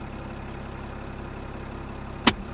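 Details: Mercedes E320 CDI diesel after ECU replacement fixed no-start, ESP error no longer displayed: quiet, steady idle with even beat, no misses, surging or knocks, single click partway; normal idle.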